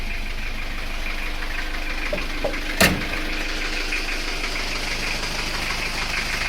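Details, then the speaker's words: Isuzu Panther 2.3 diesel just after piston ring replacement (worn rings had let compression cross between cylinders, under 25 bar): steady, even idle with light diesel clatter, no knocks or misses, one brief bump midway; sounds healthy. "Nah, sekarang sudah naik, mari kita coba hidupkan dan nanti kita uji kompresinya berapa teman-teman. Ya, kita start. Mesin sudah hidup."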